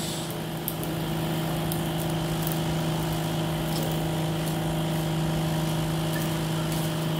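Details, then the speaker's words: Electric knapsack sprayer running normally via potensiometer knob after weak spray was traced to a worn-out battery, now replaced: steady, even pump hum with a constant low buzz; spray is good. "Kita menggunakan potensiometer dan itu menyala, dan itulah semprotannya, bos. Semprotannya bagus."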